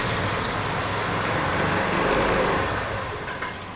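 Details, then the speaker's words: TVS Scooty Pep+ engine runs briefly, rough and uneven, then fades and dies within seconds, stalling even with the throttle opened. The air filter was cleaned without improvement; the fault is suspected in the carburetor or CDI coil, and carburetor cleaning is planned. "So బండి అయితే ఆగిపోతుంది మళ్ళీ so చక్రం తిరుగుతుంది బండి వదిలేయంగానే ఆగిపోయింది మళ్ళీ accelerate చేయంగానే సో ఆగిపోతుంది బండి"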